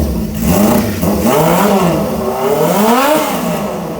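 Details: Honda CB550 cafe racer on a stand, newly fitted carburetors and tank, in a preliminary setup with a lithium battery: revs up and down smoothly, pitch rising and falling cleanly with no knocks or misses; a squeaky noise was noted; sounds healthy.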